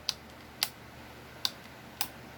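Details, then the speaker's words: Retekess TR620 AM/FM cassette player/recorder during playback: sharp, dry clicks, four in under two seconds, over a faint hiss as the auto-reverse mechanism changes tape direction normally. "You hear that click? That's where it's changed direction."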